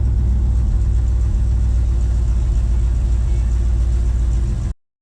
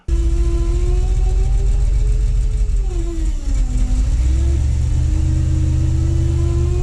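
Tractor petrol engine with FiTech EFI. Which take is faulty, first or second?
second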